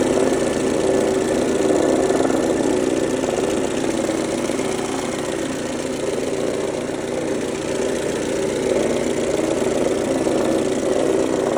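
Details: 2003 Mercedes-Benz W168 A140 idling: steady idle with a busy, rattly tapping underneath, coming suddenly from the front of the engine after it had been running well. Cause unclear.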